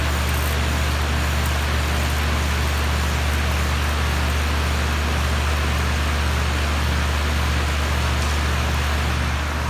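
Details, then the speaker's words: 2004 4-ton Lennox Elite series central air conditioner with a Copeland scroll compressor, startup: steady low hum and airy fan rush with no knocks or rattles. The compressor is starting and running normally. "so I'm gonna do a startup and shutdown of my grandparents' Lennox Elite series central air conditioner. There's a Cope and Squirrel compressor."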